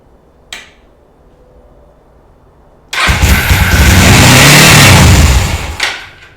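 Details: Motorcycle carburetor just refitted with new gaskets and an oiled air filter: catches on first crank and races loud and fast with no throttle input; high idle because carburetor throttle return spring was not connected properly, later fixed.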